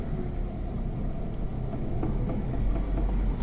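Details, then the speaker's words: Lada Priora on a lift, gearbox in third gear at low speed with clutch released: low rumble with irregular knocks under load, present in all gears and clearer in fourth; final drive gear knocking, differential noisy. "вот я уже на вторую передачу поставил сцепление полностью отпустил газ слышно ставим на третью передачу скорость не набираем стуки я надеюсь слышно на камеру"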